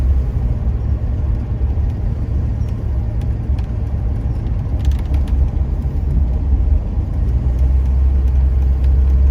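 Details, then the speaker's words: 1975 Jaguar XJ6 after head machine-shop work and reassembly, with engine flush and oil change, on test drive at 60–70 km/h, not floored: steady, even low rumble, no knocks or misses, pulls strong; normal under load. "everything else seems to be working like it did before engine sounds good it's pulled strong"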